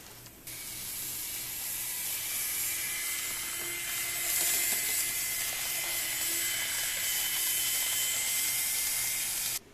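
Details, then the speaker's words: Minitrix class 03.10 steam locomotive (US Army USTC set 11601) running on track with a piercing, steady high-pitched screech and hiss; motor whine, cause not confirmed. "piercing screech now I specifically asked the guy you know how loud is this when I bought it"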